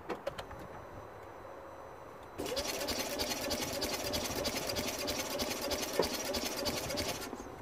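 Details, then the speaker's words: 2009 Smart Fortwo 451 1.0 L 71 hp petrol, compression test on first cylinder: even, quick cranking with no firing, spinning too freely; 50 psi read against about 150 expected, explaining the no-start. Low compression. "and that is definitely not good so we have 50 psi 50 these engine should have about 150 260 around there that should be the mark"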